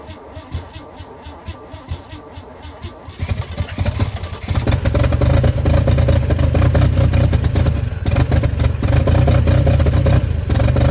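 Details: 1955 Chevy inline six truck revived after sitting about 30 years, one locked brake drum: cranking tick, then catch into deep steady even rumble with no stumbles; normal start and idle, runs pretty good.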